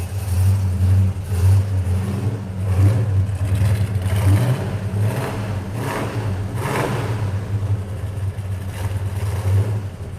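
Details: 426 Hemi V8 in a pistol-grip 4-speed car with air grabber open: lumpy deep big-cylinder idle, sharp throttle blips rising and dropping crisply; owner drives it very hard; normal healthy idle and revving.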